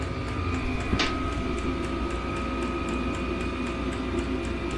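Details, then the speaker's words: Diesel heater in a cargo-trailer toyhauler, rubber mounted and not yet boxed in: steady fan drone with faint light ticks about twice a second from the fuel dosing pump; running normally, with the clicking expected to be muffled once the pump is covered. "was hoping this thing wouldn't make that clicking noise as much as it does, but once I cover that, I don't think you'll hear it."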